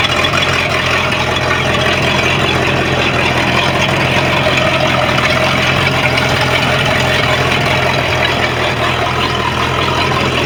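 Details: Sea Ray MerCruiser 5.0 V8 sterndrive starts and idles smoothly, even burble with no misses or knocks, after fixing a no-start from a faulty distributor sensor plus new impeller, seals and trim parts; inner shift cable fault remains, reverse unreliable.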